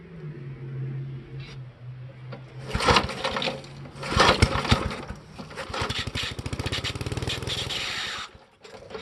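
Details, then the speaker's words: 1973 Briggs & Stratton engine on a vintage Parker Thatch-O-Matic, choked, full throttle, after flooding: rough, sputtering, uneven running with a sharp high squeal over it; engine untuned, belt suspected but source unclear. "that sounded terrible i have no idea what was that that squealing noise was"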